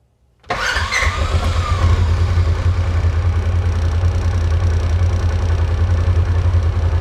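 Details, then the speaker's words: 2016 Polaris Ranger 900 XP with crank-no-start, after throttle body cleaning and reinstall but still on 8–10-month-old stale fuel: catches after brief cranking, low slightly uneven idle, still running a bit rough. Rough running. "Okay, I like that way better. It is running a little bit rough still."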